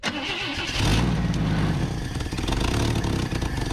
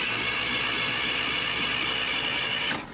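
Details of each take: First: Junkyard Chevy Luv camper four-cylinder, first run with choke open, flooding: rough, loud idle with a raspy puffing chuff over the exhaust beat that rises with revs; exhaust leak. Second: Junkyard Chevy LUV camper, unknown time since last run: steady, even starter whir at about four beats per second, spins freely and sounds healthy; normal cranking.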